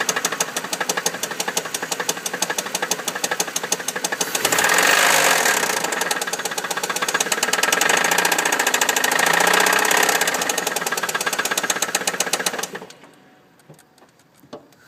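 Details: 2004 Chevrolet Monte Carlo SS, 100k miles, fresh oil, good oil pressure, idling: steady sharp knock about four times a second, then shut off; owner suspects rod knock, not confirmed.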